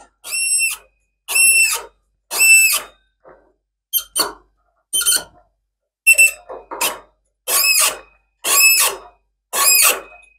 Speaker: he other way so it actually pushes those two together and then when we hear it squeaking we know we're biting kind of equal turns